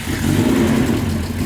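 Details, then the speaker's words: Big-turbo Nissan R33 widebody 4-door on first start: short uneven, lumpy running with rev blips; owner suspects too much fuel, running rich and choking, not confirmed. "all right so that's probably just like too much fuel it's like probably just being like it's choking inside"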